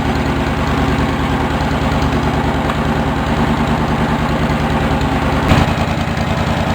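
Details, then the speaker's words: Engine of a Cub Cadet 1650 4-wheel-drive build after running over an hour: steady, even idle thrum with no knocks or misses; normal idle. "it's been running over an hour now I didn't show you the uh the uh this flashlight stra going pretty straight pretty good doing all right doing pretty good"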